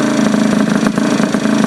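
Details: Honda Elite 50 scooter with 30mm carb and newly installed Taida radiator, freshly started: fast buzzy idle with steady mid-pitched drone, above normal tickover; owner suspects air bubbles in cooling system or long hose, unconfirmed.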